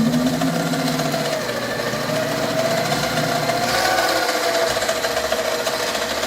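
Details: 7x14 two-speed mini lathe with the lead screw engaged: buzzy chatter from the change gears over a whining motor whose speed drifts up and down. Gear chatter and a hunting, underpowered motor.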